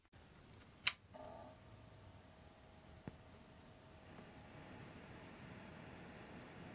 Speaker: I also noticed a weird hissing issue at certain volumes listen to this clip as I turn the volume dial you can hear how the hiss comes in at Mid volume and then bizarrely drops again as you increase to the maximum volume